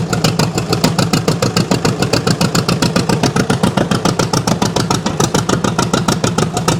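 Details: 1929 John Deere GP two-cylinder on its first fire-up attempt after restoration, choke just turned off: loud, slow, unevenly spaced popping exhaust beats about three a second, sounding like only one cylinder firing; cause unconfirmed. Uneven running, possible dead cylinder.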